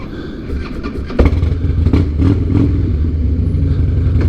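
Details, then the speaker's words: 2007 Harley-Davidson Night Train after replacing the bad fuel pump and the holed fuel line inside the tank: a loose, lumpy V-twin idle with blips, no pump whine and no sputter. Normal running. "Now this fuel pump doesn't make any noise when you go to start it, and things are looking up. Hear that? No noise from the fuel pump."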